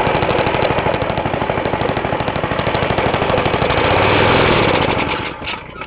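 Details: Half-restored 1954 reel mower: repainted Briggs & Stratton 6S, 1.6hp, non-original shroud, pull start removed, homemade throttle valve; plus 1984 Montgomery Ward B&S 3.5hp TMO-37425A. Fast, even single-cylinder popping holding steady until shut-off; normal running.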